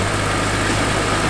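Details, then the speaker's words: Barn-find BMW E46 M3 inline six after a new fuel pump: steady, even idle with a smooth low hum and no knocks, stumbles or hunting; sounds very healthy. "yes and it sounds healthy sounds very healthy"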